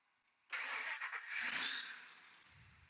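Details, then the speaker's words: 2003 Ford F150 Harley-Davidson 5.4 with a long-crank problem traced to the PCM; PCM heated with a heat gun, then barely any cranking before it fires straight away, flares and settles smoothly: normal start. "instantly starting turn it off now"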